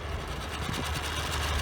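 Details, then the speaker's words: 1992 Mariner 40 HP Magnum two-stroke outboard with oil injection, idling after its oil reservoir float was repaired and the magnet reattached: a steady, even putter with no low-oil alarm beep, which sounded continuously before the fix. Normal idle. "notice there's no beep you can hear the motor running"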